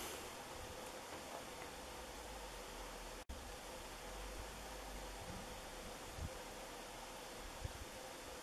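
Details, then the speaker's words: 2004 Emerson Maui Bay 132 cm ceiling fan, K55 motor, palm leaf blades at 20 degree pitch, medium-like rpm: soft steady rush of air, no ticking, wobble or motor hum. Normal running. "combined with 20 degree blade pitch this kind of rpm here would be medium speed on a lot of fans of of this size"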